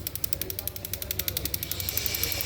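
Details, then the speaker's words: Opel Astra on LPG, injectors checked one by one on an injector test device: rapid sharp, uneven clicking about eleven a second, one faulty LPG injector clattering, matching the computer's fault; correct diagnosis avoided needless engine work. "Ay gözüm bakın ses yapıyor bir kademe"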